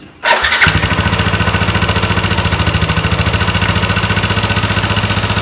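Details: Early-generation Yamaha NMAX with a rough engine catches and settles to a fast, rough idle with quick tapping on top; valve train ticking in the head.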